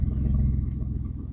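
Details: Audi A4 2.8 12V at idle: deep uneven low rumble with coarse tractor-like chuffing; exhaust leak right after flex pipe, before the cat, leaving one bank open; later repaired.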